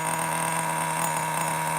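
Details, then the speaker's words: Traxxas T-Maxx Classic 2.5 nitro RC truck idling after starting, now a runner with working reverse: small nitro engine holds a high, steady buzzing idle with no misses or surging; runs beautifully; normal idle. "You might not be able to hear it too good, but run it or or not run it. All right. Reverse forward. Can't kill the reverse, bro. It seems to run beautiful now."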